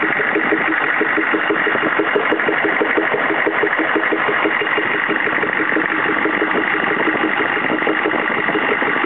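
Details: CUCV-II 6.5L diesel idling with steady clatter and an uneven popping pulse running through it; cause not pinned down.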